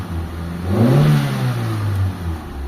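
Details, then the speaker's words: Mitsubishi Lancer 4G13, radiator fan back on automatic: the engine revs smoothly and settles to a steady idle; it previously stalled at idle and now runs normally. "So ayan na yung menor natin mga boss ah. Dati namamatay mga bossing so ngayon okay na"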